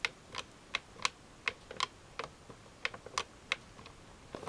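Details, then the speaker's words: Early 72-type Touch-Tone snap-dome telephone keypad, whose buttons have little travel and only sound a tone at the bottom: crisp, light clicks at an uneven pace, one snap per press, with no rattle. Normal snap-dome keypad click. "they don't produce a tone until you sort of reach the bottom where you've pressed it in, and then it snaps like that. So these basically click when you push them."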